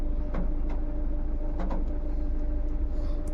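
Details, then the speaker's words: Tata Nexon diesel idling after the repair for a check engine light, pickup drop and vibration, with the cylinder 3 injector fault code cleared: a smooth, steady low hum with no misfire or stumble. The jerking is solved, and the engine stays vibration-free with the AC on. "Engine start है और हमारा check light भी चला गया है और जो jerking का इशू था वो भी सॉल्व हो गया है"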